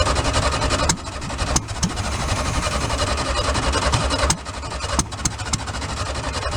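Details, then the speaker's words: Old VW split-window bus flat-four after about 40 years in a junkyard, bottle-fed fresh fuel, no gas line to tank: uneven, lumpy idle with irregular misses; left side just started firing right; rough idle after long storage. "we're gonna let it cool off for a few minutes the left side just started firing right"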